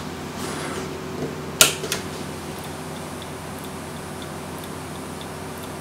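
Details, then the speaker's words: USB external hard drive enclosure, known-good 1 TB drive fitted: faint light click repeating about once a second after power-on over room hum; enclosure electronics or power supply at fault, not the drive, later found to be a faulty power supply. "But again with this one, I here the same clickering noise as soon as I apply power. As it stands, it's the electronics or the power supply, but for sure not the hard drive itself."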